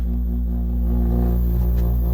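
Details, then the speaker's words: Chevrolet camper AC switched on: loud steady low hum with no airflow. The squirrel-cage blower fan is stuck, moving only slightly. "not blowing any air I'm going to turn it off just so that the uh hopefully don't burn up the fan"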